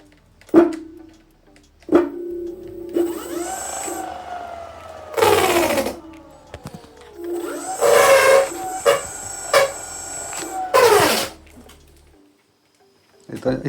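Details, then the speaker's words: Rear hub motor of a 2400 W dual-motor electric scooter, wheel spun: bursts of whine rising and falling with rough rattly bursts between; the rear motor is not good. "Questo è il motore che ho preso e i cuscinetti sono rotti. L'ho messo lì dentro. Funziona ma i cuscinetti sono rotti."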